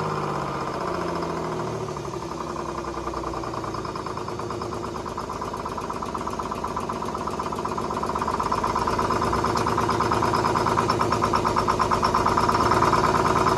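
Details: 1970s Crane Carrier truck, Detroit 6-71 diesel, after freeing four stuck injectors and rack, started without ether: rough uneven chatter about three firings a second that steadies and rises slightly as it settles into idle.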